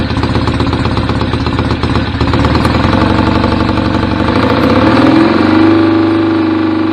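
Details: BSA A50 Royal Star twin, bought as a non-runner, first running after restoration with pattern straight-through exhaust pipes: loud, choppy, lumpy beat steadying as it warms; owner unsure whether the air lever is fully off. Normal idle.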